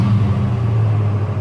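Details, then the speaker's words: 2000 Chevrolet 1500 Z71 V8 with a deep, steady, even rumble while revved after a fuel pump replacement; the new pump hums and fuel pressure is good, so the truck runs normally again. "so ava joe your truck's running hope you're happy you can sell your jeep now"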